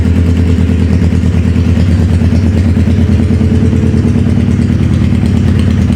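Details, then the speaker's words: Wrecked 2011 Suzuki Hayabusa GSX1300R at warm idle with an uneven, stumbling beat about three times a second; not firing on all cylinders, and the coolant system is pressurizing. "For some reason, it sounds like it's not hitting on all the cylinders. We could do the spray test. It don't sound like a 1300 supposed to sound."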